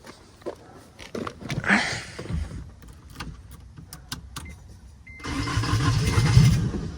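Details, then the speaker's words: 1990 Acura Integra GS after manual swap, after adding starter-to-frame ground: scattered clicks and handling, then engine catches and settles into steady running rumble; normal crank and start. "And I also added a ground to the starter connecting to the frame, and that ended up getting it to go."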